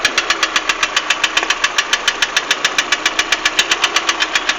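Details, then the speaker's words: 2008 Lada Priora 126 engine of unknown mileage with a full oil level: sharp, distinct metallic knocking at idle that stops when the throttle is released and doesn't change when each plug lead is pulled; a broken intake-side piston skirt. "вот такой стук стук сильный отчтливый звук пропадает при сбросе Газа но не меняется при снятии провода с каждой"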